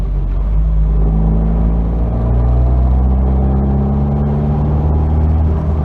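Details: 1992 Nissan 240SX hatchback, engine running: a deep steady rumble with a faint rattle and an awful scraping, shown as a symptom of a bad clutch.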